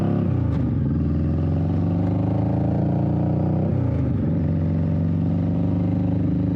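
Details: 21-year-old Honda Shadow V-twin after repacking exhaust baffle with new fiberglass, test ride: steady pull with deep, even exhaust note, no rasp or miss; tamer, deeper tone; normal exhaust note.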